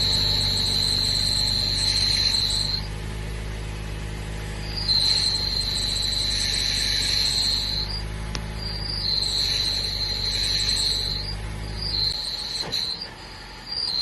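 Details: 2018 Mazda 3 manual, idling: thin high-pitched squeal in bursts every few seconds when engaging the clutch, started recently; shifting fine; owner suspects clutch needs replacing, not confirmed.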